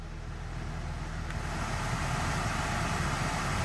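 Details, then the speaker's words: After blower motor replacement on a Nissan Note automatic, with the circuit reconnected and battery reconnected: an airy fan rush builds steadily over a low hum with no rattle or squeal. The heater blower now spins and works normally. "you can see it's spinning. So, the motor blower now works as it should."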